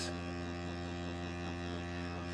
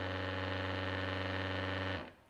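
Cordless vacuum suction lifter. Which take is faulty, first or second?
first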